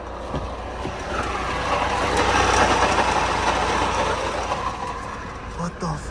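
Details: 2006 Subaru Forester with owner-rebuilt, home-machined engine just installed, first runs: loud steady rumbling clatter about four knocks a second; source unconfirmed, owner suspects the transmission is blown.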